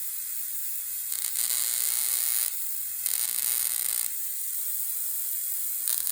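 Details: Homebuilt Tesla-style HF high-voltage generator (neon sign transformer, tube spark gap, slightly misaligned tubes) as input voltage is turned up: harsh high hiss and crackle in steady bursts, rising and falling; gap firing evenly, working.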